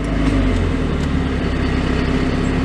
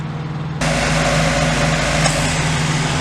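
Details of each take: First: 1990 Mazda MX-5 Miata four-cylinder, idling with AC off (rpm changes when AC is on); steady hum at a settled idle, outdoor background, no misses or knocks; normal idle. Car also has shifter bushing, transmission shavings and oil leak issues. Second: 1990 Mazda MX-5 Miata (NA): steady idle, then the rushing fan and compressor hiss join in and the rpm drops and roughens once the air conditioning is switched on.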